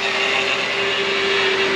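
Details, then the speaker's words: 2006 Mercedes-Benz CLS500 running: steady high whine holding one pitch over the engine hum from the power steering pump; fluid found low, topped up as a temporary fix. "I want to see what the deal is with this uh power steering noise are we low on the food yes yes we are"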